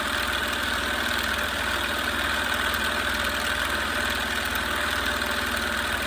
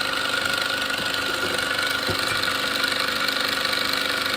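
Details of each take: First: Small compressor test with unknown pressure-switch setting: steady, buzzy motor-and-piston chatter with no cycling, stuck near 28 PSI short of 30. Wire gets very hot; pressure bleeds off, so it likely needs a check valve. Fails to build pressure. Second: Small salvaged air compressor first run after reassembly: fast, even piston chatter over a steady hiss with no knocking or stalling, pressure coming out of the hose. Running and pumping normally.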